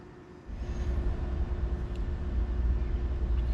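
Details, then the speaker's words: BMW N54 single-turbo car with a BSD data bus fault, ignition on and engine off after clearing codes: a low steady hum with a faint whine as the electric coolant pump runs on its own. "yep water pump is cranking away let's do another quick fault code read"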